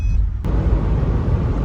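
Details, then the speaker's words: Rebuilt EJ255 engine in a Subaru Forester XT, driving after the rebuild. Its bottom-end bearings were damaged after a blown turbo. Steady low rumble, no knocks, pulls normally. It still smokes; the owner believes oil flooded the exhaust and the smoke will clear. "Run's good CU smokes we'll go away"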